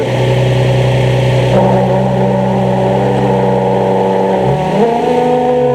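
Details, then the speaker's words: 2003 Nissan 350Z, steady whirring squeal over the engine while the clutch pedal is pressed, stops when it is released, louder when pulling away until the pedal is fully out; owner suspects the throwout bearing. "it's my 03 350Z got a bad clutch squeal going on sounds just like a throw up bearing going to let you guys have a listen see what you think"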